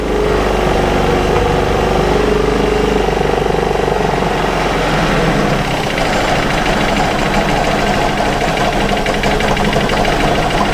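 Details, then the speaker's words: Aprilia Scarabeo 200 scooter idling while carburetor settings are corrected: uneven loose rattle about four times a second; unclear whether it comes from the engine, possibly the variator weights; source not confirmed. "Umarım açmayız o ses şeyden mi liftten mi geliyor Aynen ben de motordan geliyorum kapak mapak yok bu ağırlıkların sesleri filan da geliyor"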